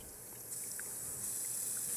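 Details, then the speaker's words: Siamp toilet fill valve with softened inlet diaphragm washer (membrane) gives a steady high hiss while passing only a trickle, so the cistern never fills; the valve was replaced with a new inlet valve. "The Siamp valve has this problem when it's not filling up the water reservoir, the toilet reservoir, and it's making this hissing noise."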